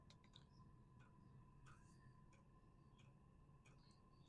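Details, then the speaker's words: VEVOR 12 V diesel heater's first start-up indoors, thermostat turned up: soft faint ticks about every half second over a quiet whir as it slowly spools up; normal fuel pump pulsing. "if you guys can hear that fuel injector working you hear it slowly spooling up in there"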